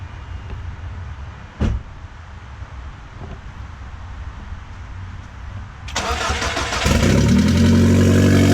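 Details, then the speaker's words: Audi A4 2.0T FSI engine, freshly rebuilt from bare block with JHM K04-R turbo kit, first startup: short crank, catches and settles into smooth even idle, no squeals; oil residue burning off, getting quieter. Normal start and idle. "all right I guess it's awesome oil residue burning off a little quieter now it's gonna let it run for a while"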